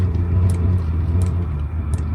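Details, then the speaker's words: Boat diesel air heater lighting after fuel pump restarts: low, steady roaring rumble with a faint tick about every 0.7 seconds as combustion starts, heard near the exhaust; normal start-up. "okay pump has just started pumping again and this will now find light so let's see what happens so i'll go down to the exhaust here and just see if there's any heat there okay you can hear the combustion starting actually"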